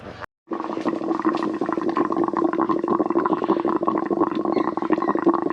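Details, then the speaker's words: Twin-turbo Subaru Forester engine running: irregular wet gurgling and bubbling at the coolant filler over a low engine-bay hum as the system sucks coolant back; owner suspects low coolant, air in the lines and a bad cap; not overheating. "It's sucking it back in. Can't even see in there. Can hear it. I think I need a new cap, and I think there was still air in the lines."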